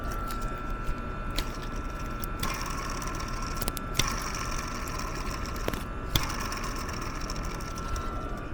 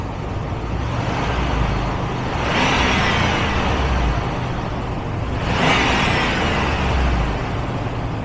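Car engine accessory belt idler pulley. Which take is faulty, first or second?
first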